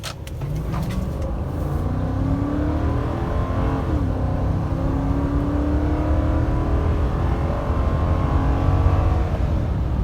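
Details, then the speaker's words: 2005 Nissan Armada SE, 5.6 V8, 15 years old, about 200,000 miles, back to normal after a small fire: hard acceleration with wheel spin, engine note climbing smoothly through the gears and dropping cleanly at shifts; normal V8 acceleration. "And this 5.6 has got some guts. Not bad, not bad for a big old 15-year-old 200,000 mile beast."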